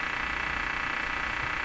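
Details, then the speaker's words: Philco 48-1826 console radio, tested after replacing two more capacitors, antenna switched on, broadcast band: loud steady hiss and buzzy rasp with stations barely audible behind; strong local interference swamping reception. "broadcast ban that's terrible they listen to that wow can hear stations in behind"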